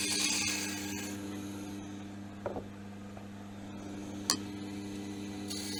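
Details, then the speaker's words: Woodturning lathe turning laurel: steady motor hum with a soft, even hiss of the tool on wood, no chatter or labouring; normal clean cut with no stress on the machine. "I always say with with turning it's not just seeing how the shavings come off it's actually you can actually hear it you get that lovely hissing sound um and there's no stress on the machine and and the operator"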